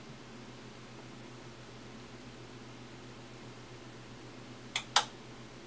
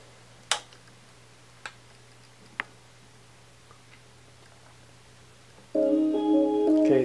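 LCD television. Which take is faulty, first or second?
first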